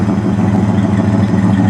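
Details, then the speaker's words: 1970 Dodge Coronet 500 convertible, 383 V8, idling outside after a no-start with a new battery and jump box: deep, steady low rumble with an even beat, no knocks or misses; healthy idle. "while it's out here we'll catch that really nice exhaust note of it or that 383 rumbling"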